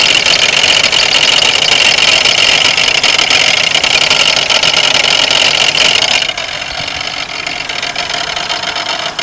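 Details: 1992 Pontiac Grand Am 3.3 at idle: steady gritty metallic grinding rattle with no clear knock rhythm; owner suspects harmonic balancer, not confirmed.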